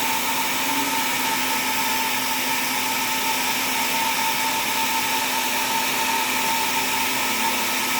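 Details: Dynavoice D-Amp amplifier being troubleshot: a loud, steady hiss with a constant buzzing tone. A failing capacitor is suspected but not confirmed.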